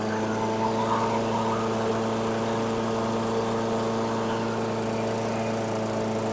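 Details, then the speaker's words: 2008 Weedeater 22-inch 500 series mower, engine model 10T502, after non-start repair work: steady even buzz at a fast unchanging pitch, no load; RPMs a little high, possibly left high for heavy cutting; throttle cable and a possibly bent screw to check. "okay it's um running the RPMs are a little high but I may send it out like this since it appears he's hacking and slashing some big stuff I may leave the RPMs a little higher"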